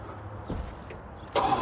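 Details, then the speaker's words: 1980 Plymouth Volare slant six, sitting for years, old battery and cables: quiet then catches suddenly without pumping the gas and settles straight into a steady purring run; clean, easy normal start. "There we go. Yeah. Well, that started easy. I didn't even pump the gas that time. Let's listen to her run."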